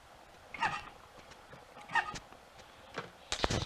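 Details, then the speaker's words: Royal Enfield Constellation 700 after magneto points repair, cranking: sharp high squeaks about every second and a half; owner guesses a one-way valve on a breather pipe, quieter with the oil filler cap off; source unconfirmed. "when i will be trying to start it you're going to hear some weird squeaking it seems to be from some kind of i'm guessing there must be a one-way valve on a breather pipe somewhere"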